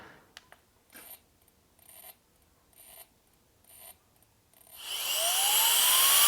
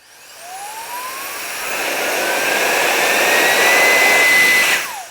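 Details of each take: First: Alffaa Violent Turbo Fan electronic air duster: four or five short whirring stabs about a second apart before motor spins up to rising whine; jump-start retries of failed starts, so turn-on is delayed (about 0.7–1 s, here 5 attempts). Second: Alffaa electric air duster rated 45 mph, on its default maximum of three speeds, trigger pressed: smooth rushing whine climbs steadily to high, even top speed, then winds down cleanly; healthy blower motor.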